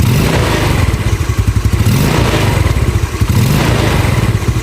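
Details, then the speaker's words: Carbureted Yamaha Nouvo after its vacuum slide diaphragm was replaced with a Yamaha Xeon one: even, steady thumping idle, now stable, with only a rare faint exhaust pop in place of the earlier clearly audible popping; normal idle. "Nah kalau didengar dia langsungnya lebih stabil ya bisa memang diakibatkan dari karet vakum yang agak pendek ya"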